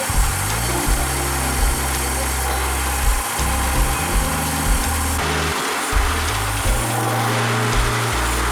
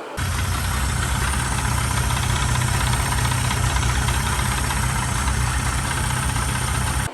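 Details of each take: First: Mercury 30 two-stroke outboard after rebuild for knocking, with rebored block, new pistons, crank bearings, seals and water pump: pulls smoothly as throttle rises and falls, no knocking or rattling; ready for break-in, normal running. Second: Mercury 30 outboard brought for service over foreign engine noises: uneven knocking about three to four per second over running powerhead; mechanical knock, cause unfound before teardown, block later bored and rebuilt.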